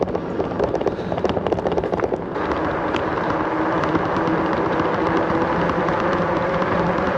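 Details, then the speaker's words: Himiway Cobra fat-tyre e-bike coasting downhill on tarmac: brief freewheel ticking, then a smooth steady mid-pitched hum from the fat tyres; ordinary tread noise, nothing wrong. "Oh, you can hear the noise from those tyres now. We're going a bit quicker. I'm literally just coasting down here. Yeah, those fat tyres make a nice humming sound as we go down the tarmac."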